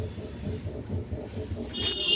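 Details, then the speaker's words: Tata Zest with steering wheel turned left and right: dull low knocks about four a second, louder when driving; torn steering end boot and loose ball joint found. "और अब मैं steering को left right move करूँगा तो आप देख सकते हैं, सुन सकते हैं, एक डक डक डक डक की आवाज़ आ"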